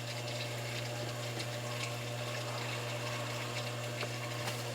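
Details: Hot tub with an M7 control system, breaker just switched back on while diagnosing a heater that trips the GFCI breaker: the circulation pump starts with a steady, even low hum and rushing water, no rattles or surging, running normally.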